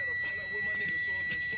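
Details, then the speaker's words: 2006 Freightliner M2 Business Class with C7 diesel, key on, engine off, waiting for intake heater, air system not holding pressure (Bendix air regulator being replaced): steady high electronic beep, low air pressure warning. "And you hear that beeping noise. That's the beeping noise you're going to hear when your system is low on air."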